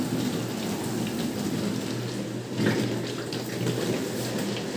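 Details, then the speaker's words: Bosch SRV43M43RU/01 (type SD13JT1B) dishwasher after repairing the recirculation pump impeller (it had hummed and wouldn't drain): continuous rushing spray over a steady low hum, even and unbroken; wash pump circulating water at normal pressure. "Пока непонятно сейчас ещё подождём как крутится давление Судя по звуку по опыту вроде как"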